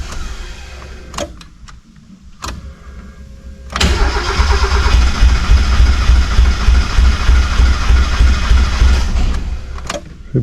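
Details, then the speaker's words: 1991 Mazda Miata, reportedly knocking when parked, after fixing a bad connection and adding fresh gas: ticks then steady fast cranking catching only feebly; fuel pumped to rail but only center injectors spray, injectors 1 and 4 bad, replacements ordered. "still only getting fuel out these Center two injectors so I know the wiring is good so we got a bad injector on number one and a bad injector on number four"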